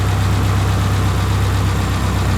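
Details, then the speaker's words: 1999 Subaru Forester, engine near 200K miles and car over 310,000 miles, idling after an oil change: a steady, even low idle with a smooth regular beat and no tapping or misses; normal idle. "Runs pretty good. The engine's got almost 200K on it."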